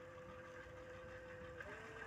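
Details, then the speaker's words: Mini lathe with DIY replacement power supply and MOSFET speed control, gate voltage set by potentiometer: steady even motor whine stepping down in pitch as speed is turned down, no rattle or grinding; everything working, normal running. "Emergency cutoff. And auto feed, everything seems to be working."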